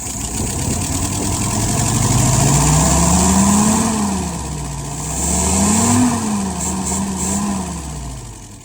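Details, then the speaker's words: 1948 flathead V8 with restored, adjusted WO carburetor (idle about 675 rpm, fuel pressure 2.75, vacuum 23), blipped twice; crisp even V8 burble climbing and dropping cleanly with no misses or knocks, carburetor responding well. "But anyway, I know she's running good. Fire it up."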